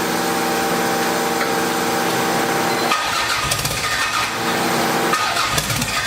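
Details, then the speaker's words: Toyota MR2 build (850hp target), first start after plugs installed: engine catches and runs rough and uneven with a rising turbo whistle, smoky, then is cut off; turbo spools well but mixture running very rich. "Everything sounds great. It fired up, smoked in here. I know you can't really tell, but it was running really rich."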